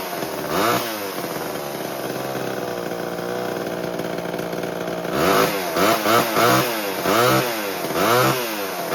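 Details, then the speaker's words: 1970s Homelite XL12 chainsaw first run after years of sitting: rough uneven two-stroke idle, throttle blips sag and stumble before picking up; running slightly lean and bogging at first, richened after adjustment. "It was leaning a little bit at first. You can hear it kind of bog. It wasn't bad, but you can hear it a little bit."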